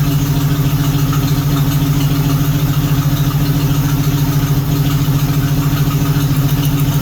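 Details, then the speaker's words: 1976 AMC Gremlin 232 inline-six with a failing fuel pump, shaking under acceleration: low, lumpy idle with a steady loping pulse of three or four beats a second; number 6 cylinder suspected dead from fuel or compression, spark confirmed. "must be a fuel or a compression issue on number 6."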